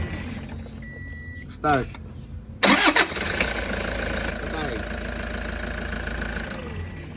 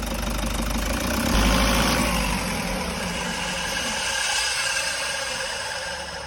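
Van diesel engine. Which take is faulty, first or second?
second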